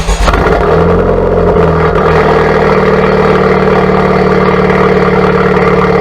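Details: 2017+ Honda Civic Type R FK8 with Borla Atak exhaust, PRL catless downpipe and PLM catless front pipe, before/after front pipe install: quick crank and catch, settled even idle, steady drone, no ticking or stumbling; normal start.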